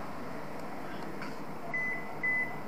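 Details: Washing machine with weak spin being tested in spin mode, door loosely shut and taped: three short high beeps about half a second apart; error alert, cause not confirmed.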